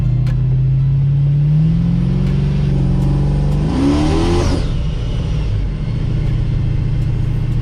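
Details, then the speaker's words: Dodge Dakota R/T 5.9L Magnum V8 with a ProCharger P1SC on a smaller pulley and new tune: pulls hard, then pitch jumps with a rushing whoosh and lost boost; a pipe popped off, likely one not tightened. "you got no boost again well we definitely popped off a pipe because you can hear it"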